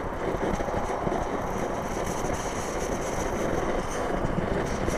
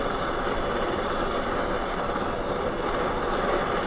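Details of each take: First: Trangia X2 multi-fuel pressure burner after seven pumps, windscreen off in light wind, possibly not fully preheated: steady even hissing roar with no sputtering or surging, blue flame; burning normally. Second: Trangia X2 multi-fuel burner pumped progressively to 20 pumps: loud, steady hissing roar with no sputter as the tank becomes over-pressurised, giving a sooty yellow flame; too many pumps cause sooting.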